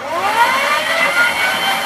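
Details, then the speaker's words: Razor Dirt Quad upgraded to 36 V with larger batteries and new controller with reverse; motor stops when brake pulled and restarts when released; clean whine climbing in pitch as it spins up forward, no grinding; normal. "when you pull the brake and hear the motor stopped they grow the brake the motor starts again"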